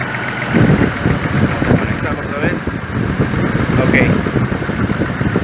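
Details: 2005 GMC Envoy 4.2 inline-six, running at idle during diagnosis, scanner connected, oily engine with toasted-looking wires: uneven idle with irregular stumble and loping low thuds; steady single-cylinder misfire, coils being swapped between cylinders 2 and 3.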